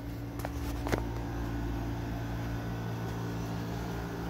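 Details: Air conditioners on low on a hot, humid day (about 90–95°F, 50% humidity), blowing cold air: soft steady hum, low fan drone and faint click early; unit runs quietly and evenly.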